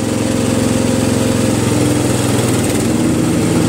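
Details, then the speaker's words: Murray Select 12.5 hp 40-inch riding lawn tractor, throttle mid to high, PTO engaged with both 20-inch blades spinning: steady, even engine drone with no knocks or rattles; normal mowing operation. "Okay, now both 20-inch blades are moving. They're spinning."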